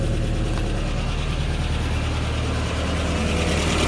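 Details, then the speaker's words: 1993 Toyota pickup 22RE with a newly installed Redline Engine Builders Beast camshaft, first start before break-in: steady low idle at about 1,000 rpm, smooth and even with only a faint lope, no knocks or ticks; sounds healthy. "Doesn't sound much chop yet."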